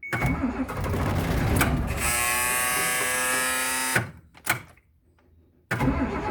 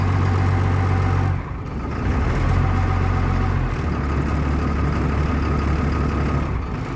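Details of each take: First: Bus unstarted for about two and a half to three weeks in cold near 10 degrees, after waiting for the glow light, throttle pulled up: starter whirrs about two seconds, turning over but not firing; crank no start. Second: Bus unstarted for about two and a half to three weeks, after waiting for the glow light: fires with throttle raised, then holds an even steady rumble around 700 rpm warming up; normal running after cold start.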